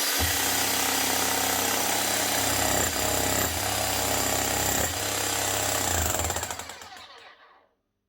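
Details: Bosch GSH11E 240 V demolition hammer after fitting an aftermarket copy armature: fast, even hammer blows at roughly 220 a minute over a steady motor whine, then a clean spin-down. The hammer action sounds healthy.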